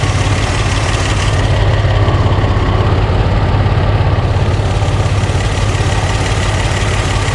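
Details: Barn-find Buick Regal Turbo after new plugs, wires, in-tank fuel pump, fuel filter and oil change, with 150 psi on a cylinder after adding oil and the plug refitted: a heavy, loping idle that stumbles every few beats, still misfiring.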